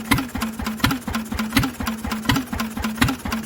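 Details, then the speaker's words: Vintage Lister engine, first start in 40 years, cooling tank fitted, on choke: slow even thumping at low idle, about eighty beats a minute, no extra knock between beats; no big-end knock, sounds mechanically sound. "but as you can hear she's got no big end knock mechanically she sounds lovely"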